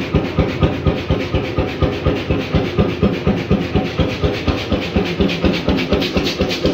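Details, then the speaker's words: 1928 Beijer 13 hp two-stroke hot bulb oil engine, 10.4 L single cylinder, normally about 400 rpm: slow even chuffing beats about two per second with hiss between, as fuel pump is turned up; steady normal running. "so if i now engage the fuel pump and tune it up it should be running faster again"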